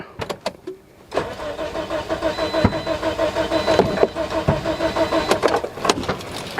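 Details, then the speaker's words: 2009 Toyota Matrix 1.8 L after fuse fix cured no-crank, ECM previously replaced; starter spins engine about three turns a second for nearly six seconds without catching, cranks but won't start. "now just keep on cranking but at least we fix uh one problem you know the knock rank and now the car just crank but not start"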